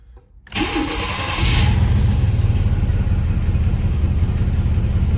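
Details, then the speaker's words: 1st-generation Chevrolet S10 after its catalytic converter was replaced with an unclamped, unwelded straight pipe: cranks, catches and settles into a steady, deep, slightly loud idle with a small exhaust leak; before, it would hardly run. "Yeah, it's a little loud, but now it's running. Before, literally wouldn't run before."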